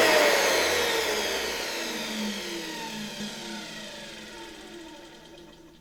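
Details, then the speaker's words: Probably early-1960s Czechoslovak Tiger 808 (type V 401, Elektro Praga Hlinsko/ETA) vacuum cleaner universal motor running smoothly and quietly, no excessive brush sparking or bearing noise, whine sliding down as it coasts to a stop; healthy motor. "nice running engine. Smoothly, quietly. I don't feel anything here - I don't know - I don't see any excessive sparking on these brushes. You can't hear the bearings very much."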